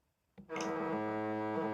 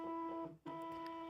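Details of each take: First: Genuine Nintendo Switch Pro Controller HD rumble, tested on the search-for-controllers screen by pressing A: about two and a half seconds of solid, unbroken buzz at a steady pitch, the rumble motor working normally. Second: Nintendo Switch Splatoon 2 Pro Controller bought used, HD rumble test: buzzing hum cuts out and returns in separate pulses instead of the continuous rumble of genuine controllers, suggesting a fake without genuine HD rumble; suspected, not confirmed.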